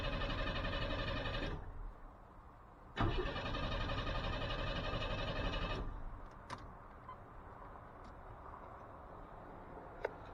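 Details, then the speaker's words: 1988 Chevy S10 with new engine and TBI: two strong, even cranking bursts with no firing; injectors dry, no fuel delivery; owner suspects the fuel feed line had popped off, recirculating fuel back into the tank. "now she's definitely cranked real good and real strong but I'm guessing she is well maybe problem I had before was the that feed line popped off and it was just acting as a fountain and just recirculating right back into the tank"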